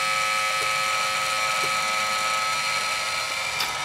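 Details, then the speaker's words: Roctec RF332C external floppy drive on an Amiga 500: clicks normally until a disk is inserted, then loud buzzing chatter with sharp clicks and the disk reads as bad. Drive mechanism grinding, faulty. "but watch what happens when i insert disk everything goes crazy can you hear that"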